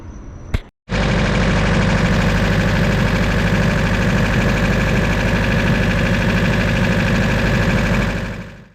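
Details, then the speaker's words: Turbo H2B Honda after coil-on-plug conversion and fixing a fuel leak: short click, then the engine catches and holds a steady, even idle with no stumble or tapping. "i'm stoked that it's running"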